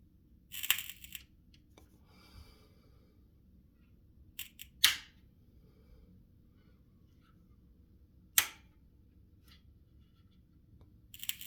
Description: This PSU BE QUIET Dark Power 13 1000W produces a very weird noise while turning it off which resembles very much to the typical short-circuit or false contact electrical noise.